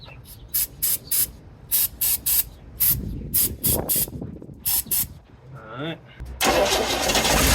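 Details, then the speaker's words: 1970 Chevrolet C-10 junkyard truck, first start: rhythmic cranking bursts for several seconds, then catches and roars up on starting fluid sprayed down the carb; fuel not reaching engine, cause unconfirmed, oil pressure unchecked. "took some fuel to it huh"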